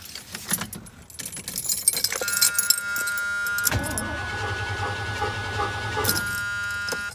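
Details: Distributor-ignition truck that still won't start after many parts were replaced, ballast resistor wire under suspicion: the starter spins the engine evenly for about two seconds, but it never catches; crank, no start.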